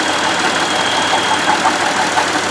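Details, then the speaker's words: Buick Lucerne at idle, close to the engine belt drive: smooth, even whir from the alternator with no grinding or whine, sounds pretty normal; the noise traced to play in the water pump bearing instead; normal alternator. "here's the water pump pulley this would be your alternator you can see it sounds pretty normal"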